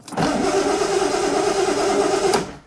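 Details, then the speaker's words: Mission Max project engine, 12 volts confirmed at the coil, coil swapped: about two seconds of even starter cranking with a steady whirr and no firing; crank, no start, blamed on failed ignition points. "Absolutely, it is points, that's all it's done. Wow. It's points are letting us down."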